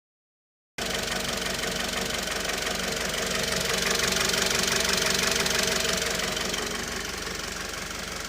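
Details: Mitsubishi 4B11 engine: steady, regular knock about three per second over a hissy idle, even throughout; internal knock of unclear source.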